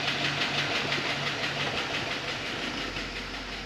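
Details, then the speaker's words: 2006 Chevy Express 2500 idling after a transmission fluid flush, engine flush, and fresh oil with oil stabilizer; fast, even light ticking about three per second, lifter-like and slightly quieter than before, but still present. Cause unconfirmed. "Tick's definitely still there, but thes"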